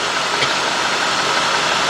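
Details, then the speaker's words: 2003 Cadillac DeVille 4.6 V8, warmed up, with rough running, surging idle and codes P0300, P0171, P0174, P0101 and P0404: a steady airy hiss over a slightly uneven idle. A vacuum leak at the intake manifold gasket. "I don't know if you hear it. You hear a little air? This is not that bad. I mean, I hear it's running a little rough."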